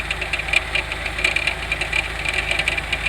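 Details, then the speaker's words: 1992 Oldsmobile 98 3.8L at idle, tire removed: sharp, light metallic knocks several times a second, slightly uneven, from the harmonic balancer/crank pulley area; complaint says it fades when revved; source unconfirmed, belt-off test planned. "The sound the sound of this uh knocking or clunking basically sounds from down here, you know, by the harmonic balancer."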